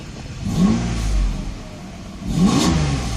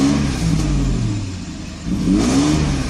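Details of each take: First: 1995 Mercedes S600 with replacement throttle actuator (E-gas) computer installed, no warning light: four clean throttle blips, revs climb quickly and drop smoothly to idle without stumble; both throttles work, unlike the customer's faulty computer. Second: 1995 Mercedes S600 with a faulty E-gas throttle actuator control unit; gas pedal floored, the engine climbs only slowly and the revs wander and sag instead of pulling cleanly, so the throttles do not work correctly.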